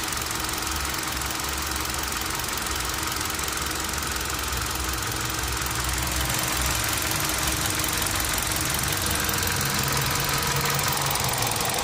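A steady rapping knock, a few per second, rides over a hissy running engine at idle; the source isn't clear.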